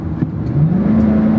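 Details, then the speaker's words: Ford F-150, Coyote 5.0L V8, 149,000 miles, under load on the road: the engine note jumps, then climbs smoothly as the transmission kicks down into passing gear and pulls; clean downshift with no slipping or flare. Shifts under load are slightly rough. "Robert really doesn't shift that bad under load it's a little rough but hardly at all and we'll see how passing gear works all right"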